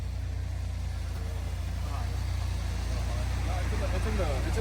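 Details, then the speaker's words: 1992 Citroen XM barn find with a PRV engine, idling after revival. A quick, fairly steady ticking of a few clicks a second sits under the idle: the self-levelling hydraulic suspension pump charging normally. "and you hear the pump clicking Oh we must have it in high mode or is that normal"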